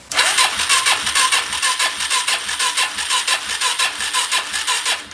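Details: 2017 Suzuki DR-Z400S with stale varnished fuel left in carburetor after storage, vacuum fuel line found disconnected and refitted, on jumper pack: starter spins single steadily at about two pulses per second, never fires; fuel-starved carburetor.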